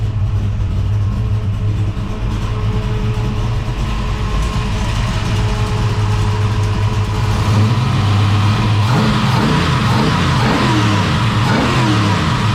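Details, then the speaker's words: Holden HT Monaro V8 after replacing faulty MSD ignition module, thermo fans on: even burble at idle, then a couple of clean revs rising and falling smoothly; sounds healthy, firing on all cylinders. "well I must say I'm very pleased with that that sounds mint me too"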